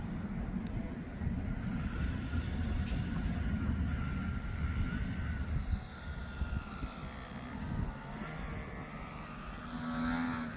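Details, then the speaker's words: Al's 12-foot giant RC airplane on a low pass at throttle: low, rough droning buzz fluttering unevenly under the wind, vibration like something coming loose; motor rubbing its outer ring and chattering, pilot about to land. "Oh, that vibration does not sound good. It's like a Yep, hold on. something's coming loose."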